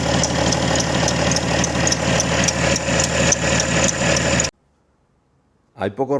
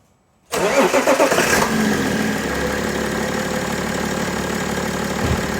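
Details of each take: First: BMW E90 325d/330d M57 diesel at cold start idle: fine, high chirp repeating about four times a second, steady with engine speed, from the accessory belt squealing when cold. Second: BMW E90/91/92/93 325d/330d M57 diesel after accessory belt replacement with the original-type belt: cranks, catches and settles into a steady idle with no chirp or squeal; belt noise cured.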